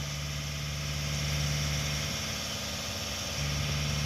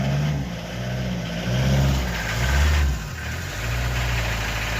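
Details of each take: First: 1988 Swift Kontiki diesel motorhome starting after sitting unable to start, on jump leads after glow plugs: it settles straight into a steady, slightly lumpy idle with an even low throb and no knocks. It starts; a new battery is advised. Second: 1988 Swift Kontiki diesel motorhome, stuck unable to start, finally fires on jump leads with a weak battery: steady low diesel clatter settling into an even idle with no misses or knocks; normal diesel idle.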